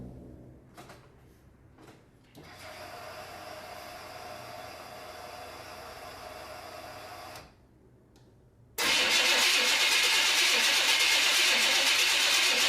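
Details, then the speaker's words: 1990 Camaro, small-block Chevy 350 with Holley Sniper EFI and Flowmaster mufflers, after exhaust leak repair and sitting two months: cranks with stumbling catches, fires, idles high then settles; an unidentified rattle remains; hard start after storage. "okay guys there you have it it fired right up it had been sitting for at least two months now so it's struggle there for a second but when it fired it idled a little high at first but then it settle down"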